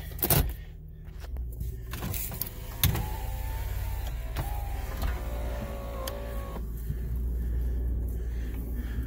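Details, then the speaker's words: Toyota Camry with 180,000 miles: low droning window motor hum with a wavering pitch as the glass travels, some clicks; the window motor sounds weak and needs replacing. "I think man your motor doesn't work this one needs a bed this one needs a new window motor"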